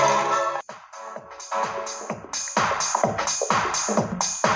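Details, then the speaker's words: Subwoofer speaker after home repair that re-centered a magnet that had been rubbing and jammed the cone, sound test: music plays cleanly with punchy beats and clear highs, no scraping buzz on low notes; subwoofer healthy. "දැන් අපි බලමු මේකේ sound test එකක් කරලා කොහොමද කියලා."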